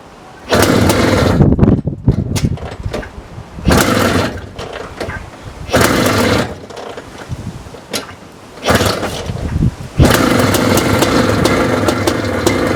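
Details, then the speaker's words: 1982 Maico 490 two-stroke, first start in 8 years after only a carb clean, kick-started with half compression: fires and revs in sharp crackling bursts with clean blips, then holds a raw steady run; normal running. "but it starts I hated Beast oh my god it's a beast my ears are ringing"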